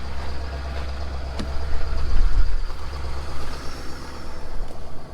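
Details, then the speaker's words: 2017 Ford F250, 70,000 miles, cold start on an extremely cold morning: deep low idle rumble, mildly surging but settling evenly. Normal cold start and idle. "And there it is, guys. That is the last time you're gonna hear that truck starting cold."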